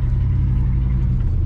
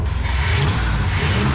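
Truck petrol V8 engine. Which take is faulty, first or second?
first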